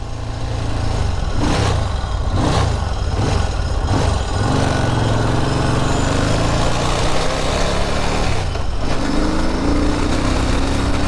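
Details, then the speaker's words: 1980 Moto Morini 500 on a ride, pilot jets up two sizes and mains still stock: revs come in short bursts with uneven pickup and a stumble before catching. Hesitation on acceleration; owner wonders if the mains need to be larger. "I got a little bit of hesitation there on acceleration I wonder if my Mains need to be larger we up the pilot Jets by two sizes the mains are still stock"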